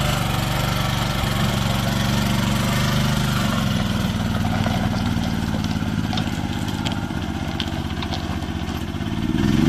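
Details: Old Japanese-import Komatsu PC01 (PT01-1a) mini excavator with a four-stroke petrol engine, 1,116 hours, in a systems test. Steady chug with a low hum shifting as the hydraulics work, then rising near the end; normal running under hydraulic load.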